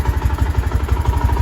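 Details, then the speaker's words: Honda Sonic 125 with original engine and stock carburetor, open pipe: quiet even thump at about eight beats a second with no misses or surging, smooth normal idle. "ดูนิ่งๆครับประมาณนี้รอบเดินเบาเครื่องยนต์ก็เป็นคาร์บูเดิม"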